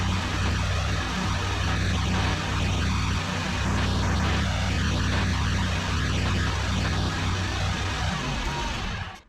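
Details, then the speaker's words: ZT200 mower after a used hydrostatic pump was fitted and refilled with Rotella T 15W-40, run forward and back to purge air: steady low engine drone, smooth drive hum, no whine, knock or grinding. Normal hydrostatic drive. "good yeah no funny noises uh you could hear it when it kind of got the air out"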